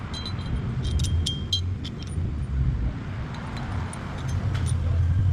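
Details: Hyundai Elantra, recorded under the car while driving: a deep, steady droning rumble from a worn rear wheel bearing.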